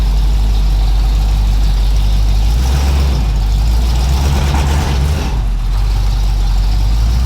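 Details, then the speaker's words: 1981 Cutlass Supreme home-built small-block Chevy V8, outside after hot-lashing the valves and fixing the plugs and the timing/HEI distributor: a deep, even rumble at steady idle with no knocks or misses. Normal running. "Dude, I can't believe it's in the freaking daylight. And it sounds happy. It sounds insane."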